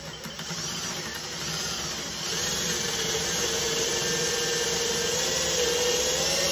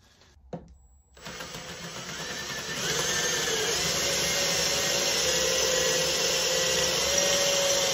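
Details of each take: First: Cordless drill boring through two stacked wood boards, started slowly, following a pilot hole through the first board, none in the second, recorded real time: steady whirring motor with even rough chatter, constant speed, normal healthy drilling. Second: Cordless drill boring a long deep hole through stacked wood boards, not quite through: steady high loaded whine growing rougher with scratchy crackles as debris builds and the bit rubs against the cavity walls; pulled out early to clear debris.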